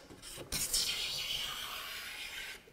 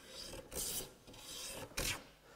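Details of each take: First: Paul Sellers planing a flat board smooth with a No. 4 hand plane, its sole oiled to stop friction skidding; one steady, even hiss producing a continuous shaving end to end, no stutter or chatter. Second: there's some vibration there people are calling that chatter but it's not chatter it's sking it's very different all you need is a little bit of oil on the sole of your plane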